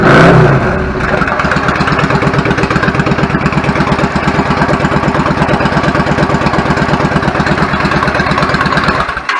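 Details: 1999 Yamaha V-Star 650 Classic, 650cc V-twin with twin carbs and 16K miles, after cleaning pilot jets clogged from sitting: after a blip it settles into an even, lumpy idle of about three pulses a second with no misfire; fixed.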